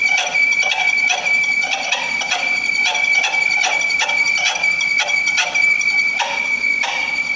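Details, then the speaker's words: 1995 Jaguar X300 4.0 six-cylinder at cold idle: thin, steady high squeal with chirps about twice a second; accessory belt suspected slack and slipping, tensioning it reduced noise. "donc quand on a un bruit comme ça je vais arrêter le moteur c'est souvent que c'est la courroie d'accessoires qui fait des siennes parce qu'elle est pas en général assez tendu"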